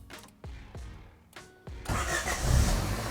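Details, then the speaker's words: Honda Civic EG hatch that had been slow to crank, after new starter, ground kit and terminals: a few quick cranks, then the engine fires almost at once and settles into a steady idle, a healthy start. "boom ready to go does that it does that I mean there's like no cranking time it's just like pretty much instant let's go"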